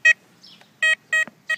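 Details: Tesoro Conquistador metal detector over a ring: crisp, full, unbroken tone bursts on each sweep after discrimination was lowered to about 4.5–5. Set too high, the ring sounded choppy.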